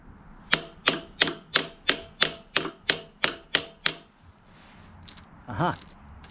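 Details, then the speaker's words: Toro Power Handle Sport 25" reel mower with Briggs engine, recoil starter turned by hand: ten quick dry clicks, then nothing. The starter clutch balls don't move, so it freewheels without catching. "now see now it's like freewheeling it's it's not catching at all"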